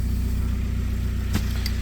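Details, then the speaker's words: VW Passat diesel started after sitting for a long time, idling loud with a busy low clatter; failed tandem vacuum pump at the firewall with a broken hose, no vacuum, dripping oil; hard starting suspected from it. "I mean, the noise is working, but there's a problem with the Tandem pump and the vacuum itself"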